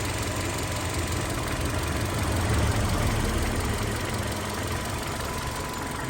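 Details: Hyundai Sonata LPI that started, ran 3 seconds and stalled; a water-damaged control unit was found, cleaned and resoldered: now a steady, low idle that keeps running evenly without stumbling or dying.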